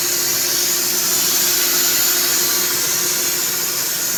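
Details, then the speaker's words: 1996 Ford F-150, 300 inline-6, recorded on phone under the hood: thin steady high whistle over the running engine, constant pitch, seeming to come from the rear of the engine bay; cause unknown. "seems like it's coming from back here around this area just like that just like a whistling noise like I don't know here"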